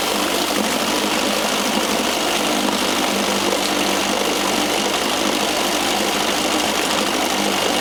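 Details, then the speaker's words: Johnson 4 HP outboard being restarted in neutral after repair work: steady even buzz with no misses or knocks, settling into a smooth normal idle. "so want to fire it up again and see if I can get it to to idle"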